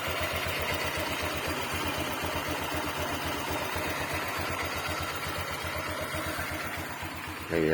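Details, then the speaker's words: Honda Click 125i FI V3 scooter at a very low idle. A light rhythmic tapping comes from the CVT side, a slack belt flicking at low idle; judged normal. "So Gan talaga mga bro medyo meron talaga siyang ah makalas sa loob n makina dito lalo dito sa may cbt"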